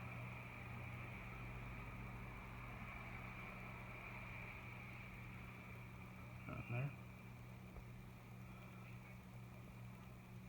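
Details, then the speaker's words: Hunter ceiling fan running on high: quiet, steady low hum with a faint constant whine, no ticking or wobble; strong runner moving lots of air, only needs slight balancing; normal running. "as you can hear it's a very good amount of air needs to be balanced a little bit very strong Runner very good fan"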